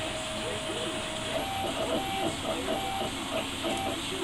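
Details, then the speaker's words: Homemade 48 x 20 inch four-axis CNC machine: steady buzzing hum with short chirps as the axis moves; stepper humming suspected from feed rate or acceleration set too high, harmless but needing tuning. "yeah that's uh it's okay I mean it's not hurting anything except for that yeah that little buzzing right there is just a little bit of feed control I'll have to tune it in"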